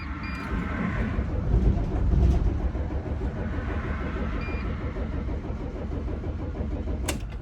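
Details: 2006 Dodge Sprinter diesel stalled roadside, crankshaft position sensor fault blamed: steady low starter churn with no firing or rise in speed. Bad glow plugs also noted. Crank no start.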